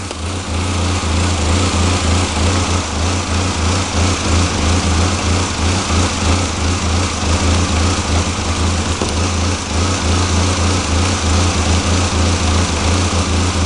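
Idle with a lumpy, uneven beat around three pulses a second that keeps hunting instead of settling; a rough idle, cause unknown.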